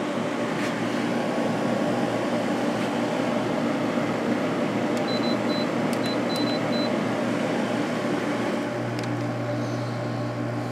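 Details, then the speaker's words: 2021 LG 8,000 BTU window air conditioner with LG compressor and Broad Ocean fan motor, turned up from medium to high: steady even fan whoosh and low compressor hum with a few short control beeps; normal operation. "this air conditioner has an LG compressor and fan motor is made by broad ocean"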